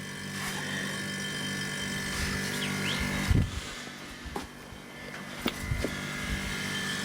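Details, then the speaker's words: Smaller chest freezer after regassing. Quiet, steady compressor hum from its smaller compressor, with some handling knocks; frosting up, running smoothly. "that's a smaller one it's gonna be a smaller compressor smaller motor it's quieter than that one"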